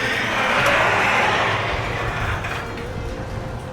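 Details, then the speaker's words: Garage door opener before roller swap, old metal rollers, dual torsion springs: rough grinding rumble with faint squeaks as the door travels, opener labouring hard; worn metal rollers dragging, to be replaced with nylon. "You're probably gonna hear some squeakiness from the rollers, and then you're gonna hear the motor working pretty hard as well."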